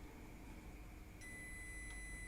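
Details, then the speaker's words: Multimeter (avometer): quiet room, then a steady high continuous beep as the probes touch; buzzer working normally. "Beda dengan ketika saya menggunakan yang ini. Nah, ketika ini saya satukan, ini akan bunyi."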